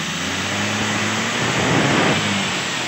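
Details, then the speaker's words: Multicab with Suzuki F6A engine, lacking power: on a quick throttle stab the note swells unevenly and bogs briefly before picking up; hiccups when throttle is sudden, okay when applied gradually; cause unknown. "Ayun. Ayun, nasinok siya. Nasinok. Dadaan-dahanin natin diin."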